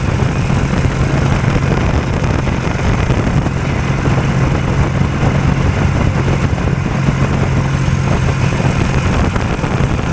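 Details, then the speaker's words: Two-cylinder hovercraft engine held at a deliberately high idle because the drive pulls a fan load constantly; loud, steady, even drone with no dips, idle set noticeably high. "yeah they're noisy in there it's got a pretty high idle and I'm got to leave it at high idle because it doesn't uh it's pulling a load there all the time"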